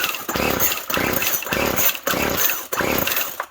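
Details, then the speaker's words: Poulan Pro Twist and Edge TE450 string trimmer, choke off: five quick pull-cord bursts about 0.6 s apart, raspy turnover that never catches, no-start; owner thinks it's still not getting fuel and plans to open it up to check for sludge. "Alright, I think it's still not getting fuel. So I think I'll take this off."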